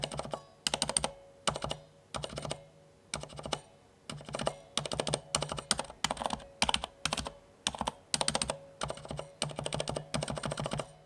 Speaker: the other slightly more annoying issue i have noticed is the dreaded pinging noise perhaps the gatorade blues had it too but they were so clicky and loud that i didn't actually hear them before whereas now on some keys i can definitely hear it